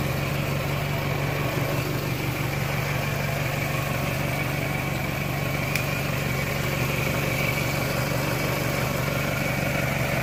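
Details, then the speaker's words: 1998 Toyota Camry after water pump and timing belt replacement (bearing debris was from water pump, not engine bearings): steady, even idle with smooth low drone, no knocks, squeals or grinding. Normal idle. "It runs good. I'm going to start it up here."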